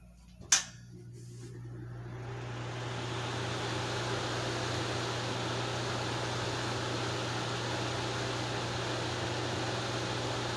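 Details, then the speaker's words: Restored 1950s Wizard 6JC2418 hassock fan, transformer repaired, switched on at high speed: soft click, then smooth steady low hum and even air rush, very quiet, no bearing noise, rattle or grinding; normal. "Okay. Fan came right up to speed. Everything is working. It's very quiet. It's putting out a really, really smooth breeze."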